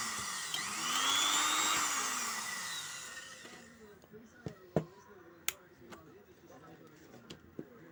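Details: Sewing machine motor after pedal repair: high-pitched whir spins up smoothly, holds, winds down after about three seconds, then a few clicks; motor running fine.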